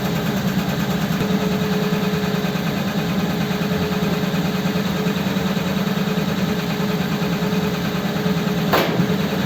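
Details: Ford 8BA flathead V8 with Richard's Holley 94 carb on another truck, before a road test: steady, even, unbroken low idle rumble with no misses or knocks; healthy.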